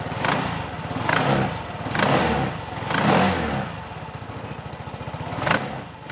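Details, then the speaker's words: Automatic Vespa after replacing a worn CVT bearing, which had made it sound very rough and was first blamed on the gearbox: the engine is blipped about once a second and runs even, with no grinding from the drive. "Alhamdulillah tinggal modalin 30.000 udah halus kembali, selamat rasionya. Oke, PR pertama udah kelar, jadi ini udah halus lagi."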